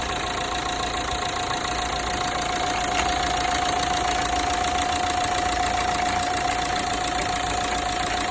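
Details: Renault Megane 3 1.5 dCi at steady idle: a sharp, even metallic ticking/cracking about three or four times a second near the belt drive, especially when starting the engine; source unconfirmed; metallic cracking noise.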